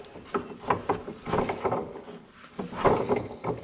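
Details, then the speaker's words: Differential from a 2001 Dodge 2500 Cummins truck being turned over: uneven clunks and knocks in bursts, something loose or damaged inside; cause unknown, diff to be replaced. "this one i bought um and there's something wrong so you guys will be able to hear it"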